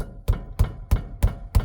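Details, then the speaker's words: Ford Freestar front wheel rocked side to side by hand: five dull low clunks, about three a second, a loose rattle and clank unlike the rear's thud; worn, loose outer tie rod end. "hear the looseness, kind of the rattle. Compare that to the rear thud. And this has got kind of clank. That was the first clue that there was something loose."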